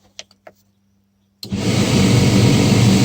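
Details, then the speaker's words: John Deere 2054D excavator cab blower after fitting a used replacement motor, running only at maximum speed because the blower resistor has failed; loud steady rush with a fast uneven rattle, later cured by adding a seal/washer; blower motor rattle. "our lower motor resistor is not working, we're running maximum speed on. Oh well, let me figure out that noise."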